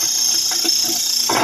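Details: Nutrimill Harvest grain mill with a few berries added and set toward fine: a steady, harsh high-pitched grinding rush with faint clicking from the stones and no labouring; normal grinding.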